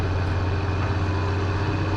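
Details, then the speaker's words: Diesel machine "Whitey", just back from repair of excess valve lash that was part of a sputter; low steady rumble under light load, even with no ticking or stumble, running smoothly. "we just got whitey back from the doctor and uh it had a valve it had excess valve lash was part of the little sputter that whitey's had over for the past while"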